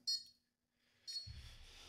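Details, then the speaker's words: Konnected GDOv2-S smart garage door controller, plugged in via USB during setup: short high-pitched 8-bit-like chirps repeat over low room hum; install failing, cause unknown. "It's just beeping. And nope, that didn't work either. I'm going to unplug this. It sounds like a video game. An old 8-bit video"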